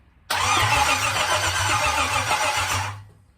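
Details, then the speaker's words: Small-block Chevy V8 for a 1953/54 Dodge tow truck, new high-torque starter, no fuel or ignition power yet; starter turns engine over sluggishly and unevenly for under three seconds, battery sounds weak; slow cranking. "so we got uh it'll crank battery sounds a little weak we will jump ups on it"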